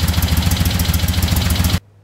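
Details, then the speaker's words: 1975 Moto Guzzi V-twin after revival, started at about 40°F on choke: even lumpy thump, no knocks, then abrupt shutdown before changing oil; normal idle. "That's pretty great. It vibrated those ugly mirrors loose, so I gotta tighten them back up."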